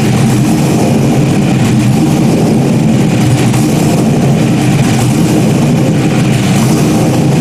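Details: Stock-block 5.3 V8 race car just rebuilt after almost a year, idling after its first start: deep, loud, steady rumble at an even idle without ticks or knocks, healthy tone. Normal idle.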